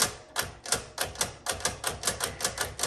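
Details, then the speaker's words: 1961 Smith Corona Sterling typewriter, noisy: sharp metallic clacks about four a second as the carriage jerks along on tab, stopping every couple of places instead of running freely; tabulator not working properly. "so actually yes it looks like the tab is not working very well because like i said there's only one tab key back there but it seems to be stopping every couple of um um places"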